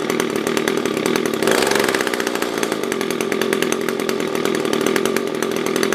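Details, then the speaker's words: SRM-210 trimmer after carb replacement with new filter, plug, fresh gas and handle: small two-stroke buzzing steadily, then revving up cleanly and settling without stumbling; normal idle and revving. "so yeah i think this should be it runs good new filter new plug new gas new carve a new handle"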